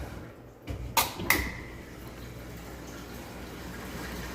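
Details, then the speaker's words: Dishwasher that earlier pushed black gook through its drain line into the disposal, after the part was replaced: a couple of clicks, then a steady, even rush of water with no gurgle or grinding; draining normally. "So now it's draining, and you can hear, you can actually see, I don't know if you can see it, but the water's draining out."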